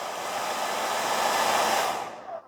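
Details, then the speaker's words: All-plastic hair dryer from a charity shop, after apparently passing its electrical safety test: steady, smooth airy rush and even motor hum with no rattle, switched from cold to warm, then a clean wind-down. It works fine with no issues. "that's just cold air oh there's the switch there we go that's on warm sounds okay"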